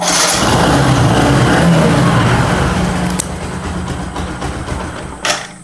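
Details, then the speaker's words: Motorcycle with an incorrect spark plug gap causing poor spark quality. Runs rough and uneven, then sags and stalls within seconds; it will not hold idle and stalls repeatedly. "देखो गाड़ी बार बार बंद हो रहा है। Obviously होना चाहिए क्योंकि spark का जो क्वालिटी है वो अभी कम हो गया है, तो इसमें ऑब्वियसली गाड़ी बंद होगा, गाड़ी आइडलिंग भी नहीं करेगा।"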